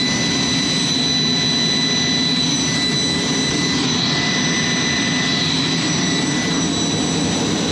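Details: Jet's J79 engines on a ground run after leak repairs and refuelling: loud steady roar with constant high whistles, no surging or wavering; clean stable normal idle, successful run.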